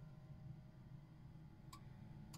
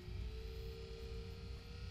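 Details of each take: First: Alde 3020 caravan heating system with inline circulation pump, Bailey Unicorn III Barcelona 2015, shown operating normally: a few sharp clicks from pump, then soft low fan hum building steadily, igniter clucks; normal heater start-up. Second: Alde 3020 heating system in a 2015 Bailey Unicorn Barcelona caravan: inline circulation pump at speed setting 1–2 gives a piercing jet-like whine over low rumble; pump failing, replaced.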